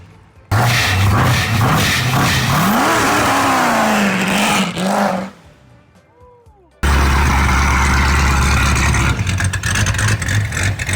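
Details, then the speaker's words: Rebuilt supercharged Corvette engine after break-in, oil showing fine metallic particles but no chunks: revs climb and fall, then a loud hissing whoosh like a vacuum cleaner as throttle snaps shut; blow-off valve venting, still needs tuning. "Thing sounds like a dang vacuum cleaner. That's a loud blow-off valve."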